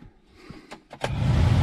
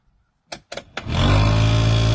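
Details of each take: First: Geo Tracker heater blower after cleaning moss and insulation from the squirrel cage fan: a couple of clicks, then smooth steady rush, much quieter, no rattling. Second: Geo Tracker heater blower fan, dash removed: clicks then a loud steady fan drone with deep throbbing vibration; squirrel cage found full of insulation debris.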